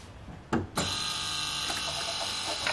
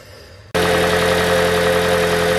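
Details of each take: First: 2012 Toyota Prius v (ZVW40R) 1.8L 2ZR-FXE hybrid automatic, at start and idle: tinny metallic buzz over the idle from the exhaust heat shield, whose two metal washers are worn out; fix is removing the shield's four 10 mm bolts. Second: 2012 Toyota Prius V (ZVW40R) 1.8L 2ZR-FXE hybrid 4-cylinder, automatic, after replacing the loose top exhaust heat shield: the engine starts and settles into a smooth, steady idle with the metallic rattle gone; normal idle.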